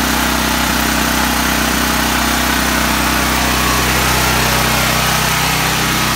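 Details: Duramax 12K generator on propane from a 100 lb tank, after the bad regulator was replaced and connections resealed with gas line tape: loud, steady drone at constant speed with no misses or surging. Runs healthily on propane.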